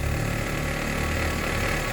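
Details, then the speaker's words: 2017 Honda HR-V 1.8 at 120,000 km, engine trembling when cold in drive or reverse: rough idle with low throbbing vibration and dull rumbling drone; old belt tensioner bearing noisy and leaking oil, replaced. "aqui o tensor velho aqui o novo aqui já tem bastante barulho ó e aqui também já vazou o óleo"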